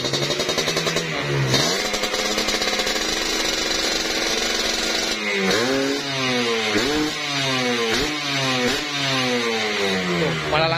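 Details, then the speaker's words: Kawasaki Ninja two-stroke with newly fitted bored-out (OB) cylinder block, bottom end said to be due for replacement: crisp throttle blips rising and dropping cleanly with no rattle or hesitation; revs smoothly, durability test still to come. "langsung di gas ya tuh suaranya harus banget tadi tinggal uji durabilitas ya setelah ini ya mungkin ini udah cukup puas ya untuk suaranya"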